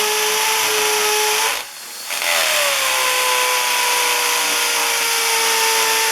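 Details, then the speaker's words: Hammer drill drilling concrete to set anchor bolts for carport-to-garage framing: steady high motor whine dipping briefly, then rapid buzzing hammer blows; normal hammer action. "like I was saying this is a hammer action on on this drill and and you should be able to hear it this one has a really fast the cheaper ones are really fast but the the bigger ones you can really hear it like banging into that concrete goes a lot quicker"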